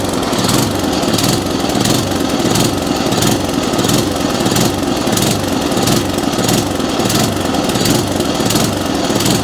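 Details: Atco Commodore B17 cylinder mower engine hunting and surging: speed rises and falls about every half second and never settles; lean carburettor mixture starving it of fuel.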